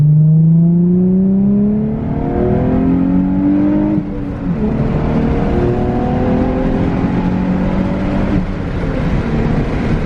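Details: Nissan 350Z, warm, on a freeway pull after replacing a faulty coil pack and cleaning a gunked-up MAF sensor that had caused a misfire: a smooth pull with pitch climbing cleanly, a quick dip at the upshift, then rising again, with no stumble. Healthy acceleration.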